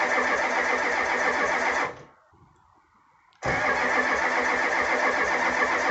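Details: Cold start on a 1985 Ford F250 6.9 IDI diesel, 4-speed manual, frosted engine at -17°C after 4–5 days sitting near -27°C without anti-gel: steady cranking about four beats a second, pause, more cranking that never catches; gelled fuel no-start.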